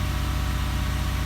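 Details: 2006 Toyota Sienna 3.3L V6 high-mileage van, first start after starter replacement: smooth, steady low idle hum with an even pulse and no knocks or misses; new starter works and the engine idles normally.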